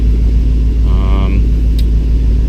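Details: 2006 Mustang Coyote swap with reinstalled T56, warming up at idle: deep, even low rumble with steady pulse, no knocks or ticks; evap sensor found unplugged; normal idle.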